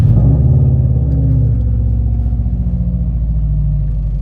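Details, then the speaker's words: Subaru WRX feared blown after a redline, just after a spark-plug job and before warm-up: deep, steady burble with an even pulse and no misses or knocks; idles smoothly. "Um, yeah, it's running really nice. It's running really nice. Very smooth. Very smooth."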